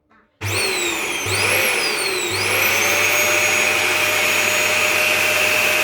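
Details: Dyson DC41 vacuum that was screaming, running after removing the clogged filter; motor spins up with a rising whine then settles to a steady, even hum and hiss with no screaming: sounds healthy, dirty filter was the cause.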